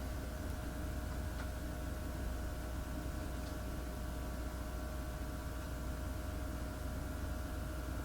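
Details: Dell Optiplex PC running the Superposition benchmark at 1080p medium DirectX: steady rushing airflow with a constant mid-pitched whine, even level, no rattle or ticking; fans spinning hard but healthy under load.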